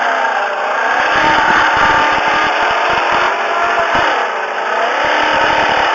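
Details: 1999 Volvo S80 2.9L engine makes a droning, wavering roar with an uneven rattle underneath between about 1500 and 2000 rpm, gone above 2000 rpm; source unclear.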